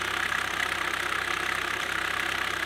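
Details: 2007 Chevy Cobalt SS Supercharged idling with a loud, fast, even top-end tapping knock. It persists after a brand-new "v2" cam/timing chain tensioner was fitted. It may be slightly quieter than before, but the problem seems unfixed.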